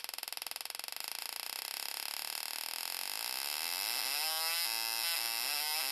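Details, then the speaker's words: GM LS2 (D-580) coil-near-plug ignition coil bench-tested on 12 V in a high-RPM test, firing rate being increased; sharp spark snaps speed up until they merge into a high, steady buzz; coil keeps firing cleanly at high rate. "We have the LS2 coil hooked up, and let's do a high RPM test on it. Make it faster."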